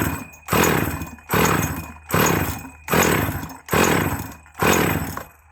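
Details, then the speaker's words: Husqvarna 444/Practica 40 chainsaw bought as spares, leaking petrol, owner suspects bearing issue: bursts into rough blubbery revs about once a second, each fading as it chokes and coughs fuel from exhaust. Flooded, running rich. "Seems to be coughing fuel out the exhaust. Don't know if this one's actually going to go. Oh, yeah. That's really flooded, that is."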